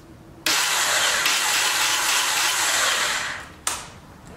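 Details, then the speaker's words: 2006 Honda TRX300EX quad, rebuilt starter using old parts, exhaust just fixed: high steady whir about three seconds, no cranking beat, starter spins without engaging engine; owner suspects starter gear dropped off. "That don't sound good at all. I hope that starter gear didn't drop."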